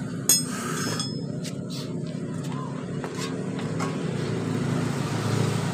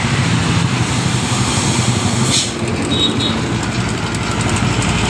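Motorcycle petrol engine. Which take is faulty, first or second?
second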